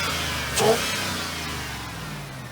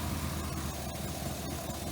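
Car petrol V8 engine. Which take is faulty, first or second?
second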